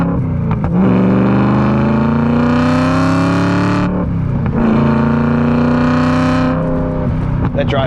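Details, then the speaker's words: BMW E92 M3 V8, abandoned for years and badly modified by previous owner, on a cold-weather brake test drive: deep V8 revs twice with a loud, raspy drone filling the cabin; exhaust far too loud, next to be fixed. "now it's time to make the car sound well not so obnoxious"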